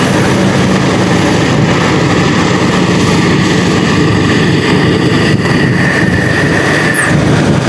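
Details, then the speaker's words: 2012 Lexus GX460 idling during a scan-tool-commanded secondary air injection test, with a steady, even whirring pump drone and no rattles or surging. The pump runs normally; the test completed with no DTCs found. "Okay, start the engine. All right, you will hear the oozing sound now."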